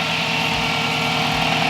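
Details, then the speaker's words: Turbocharged Toyota pickup with a new SPAL 16-inch electric radiator fan, engine warm: loud, even rushing air over the idling engine, steady throughout. The fan is running normally after a blown fuse was found. "as you can hear the fan is on it's activated"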